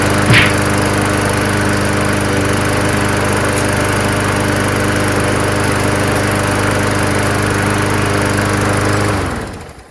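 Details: Mower engine after the primer bulb was fixed: settles into a steady, even run with a clean, unwavering drone, then shuts off; sounds healthy.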